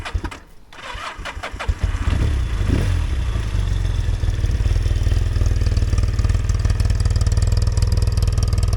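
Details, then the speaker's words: Yamaha TX750A motorcycle started on a very hot day: starter cranks, engine catches within two seconds and settles into a steady, even idle with no misses; owner notes tappet adjusters make some ticking; healthy start. "up as you can hear it sounds nice"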